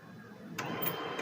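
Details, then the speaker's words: HP P1566 laser printer after replacing the worn motor drive gear that caused rattling: soft, even whir of the gear train with a few light clicks and no rattle; drive now runs smoothly, normal. "ये देखिए ठीक है ये gear घूम रहा है ये देखिए यहां पे ये घूम रहा है कुछ भी ऐसा साउंड नहीं कर रहा है जैसे पहले ए रहा था करके ठीक है"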